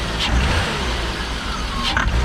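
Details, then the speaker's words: BMW M50 donor car, rough-idling petrol six with a suspected vacuum leak: quick throttle blips produce a brief sharp clatter; owner unsure of the cause, fears rod knock but suspects something minor. "So that has me pretty worried, because that sounds, I don't know what makes that sound in an engine that's not rod knock, but it only happens when you quickly accelerate, which is also what leads me to believe that it's something kind of stupid."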